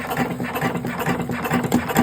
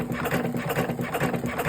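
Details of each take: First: Electric cigarette rolling machine running: fast, uneven rattling chatter from the rolling mechanism, about two beats a second. The noise comes from the tobacco level running low. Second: Electric cigarette rolling machine running with a quick rhythmic whirring and soft repeating cuts, several per second; this is the normal sound of the blade cutting tobacco.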